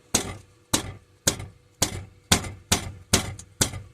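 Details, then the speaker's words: 2002-2006 Dodge Sprinter: sharp metallic clanking rattle about twice a second, like a spoon banged around, from a loose metal bar behind the passenger dashboard; fixed by prying the bar about 1.5" upward (also check glovebox for a coin). "do you have a 21n sprinter and it has this awful rattling noise doing it now there it is you hear"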